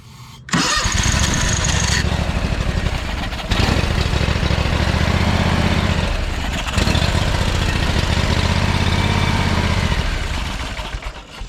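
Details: John Deere X500 with Kawasaki twin after head replacement: several two-to-three-second cranking bursts with fast, uneven chugging, never catching; cranks but won't start. Owner suspects really bad gas; later runs on both cylinders with choke held half on.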